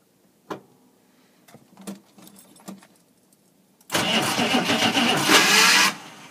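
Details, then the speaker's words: CUCV military diesel truck (M1008/M1009 family) started using a manual glow plug button; starter drags slowly with a rough chattering click under cranking, never catching, because battery voltage is too low. "yeah, see, the batteries are low. You can hear that, it kind of sounds like a, I don't even know what, I guess kind of like a, it's got that like clicking noise to it. That's because it's too low a voltage."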